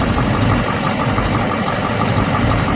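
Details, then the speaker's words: 2007 Chevrolet Silverado 6.6 Duramax LMM with used replacement engine, idling: uneven lumpy beat as cylinders drop out; misfire with injector 6 and 7 control circuit codes. "it has a misfire in it when it's sitting there idling and it's got injector 6 and injector 7 control circuit codes"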